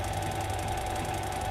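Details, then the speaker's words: Yuasa TH550B-2 550 W industrial sewing machine servo motor at low speed, about 300 rpm with light pedal and 500 rpm deeper: smooth, even low hum with a steady light whine and no knocks or scraping; running normally. "Ini 300 ketika pedal dipencet sedikit. Ketika pedal ditekan lagi lebih dalam, 500 rpm. Kalau dipencet sedikit, 300 rpm."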